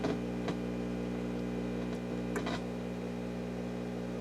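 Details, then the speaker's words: Restored Rogers Majestic R22020A (Philips F2C20A) console radio powered up to about 120, B+ about 118 V; steady low mains hum with a few probe clicks; normal mains hum. "Up to about 120. Well, we're getting hum, which is good."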